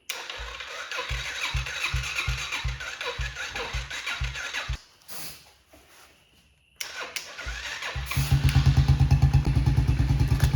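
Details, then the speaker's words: TTR90 single-cylinder bike at its first startup in about 5 years, with a new battery and junk cleared from the fuel line. Regular cranking, then it fires and settles into a quick, even idle, running normally. "Alright guys, there it is. It's finally running."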